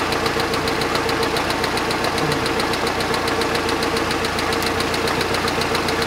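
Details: Budget-boat inboard engine on the water after rebuild: ticking at startup turns into a sharp regular knock about 3.5 per second over steady running, coming and going; owner suspects bearings destroyed again after an improper repair.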